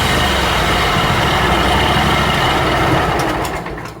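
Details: Scag zero-turn mower charging-system test with blades engaged, seat switch jumped, run at high RPM: steady, even engine drone with no hunting or misfire, dropping away at the end; normal running under load, voltage held 14.4–14.5 V.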